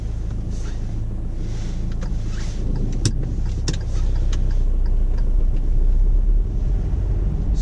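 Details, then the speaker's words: Manual car held in first gear deliberately too long, about 3,000 rpm and nearly 20 mph before shifting to second: engine drone climbs steadily and grows louder; engine over-revving in first gear. "gear 1 at the moment, and now this is quite late. You can hear the engine noise. You can see I've got to 3,000 revs and also nearly 20 miles an hour."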